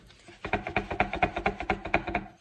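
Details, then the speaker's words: Old Arnott AS3381 rear air strut from a Tesla Model S, in use just under a year, being worked by hand: about nine sharp hollow knocks in two seconds, an internal rattle from the top area. The new strut stays quiet. "ja ärgerlich kann ja halt klappert er sollte so nicht sein"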